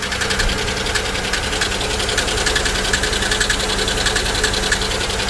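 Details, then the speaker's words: GM 3400/3100 V6 at idle, misfiring: light, quick ticking about 3–4 times a second from the top end; suspected collapsed lifter, possibly blown lower plenum gasket or bad coil; possible water in oil, oil level looks right; valvetrain ticking. "do you guys hear that that that doesn't sound like a lifter not at all actually that does sound like lifters"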